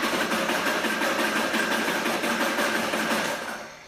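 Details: V8 with points ignition cranking on the dyno while dwell is measured, reading 30 degrees (spec 28–32): steady starter churn at about three beats a second with even compressions and no hesitation; normal cranking.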